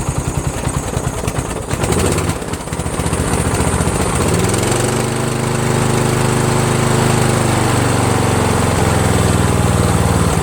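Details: Toro Wheel Horse 1238XL lawn tractor, after the slow-turning starter was replaced with a used newer-style starter. Battery at 12.7 volts. A few seconds of cranking, then it catches and settles into a steady, even run. Normal starting and running.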